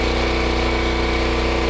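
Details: Generator: steady, even drone, constant pitch, no clanks or misses; runs okay with choke and carburetor working fine, though an earlier unexplained noise and some pieces found under it remain unidentified.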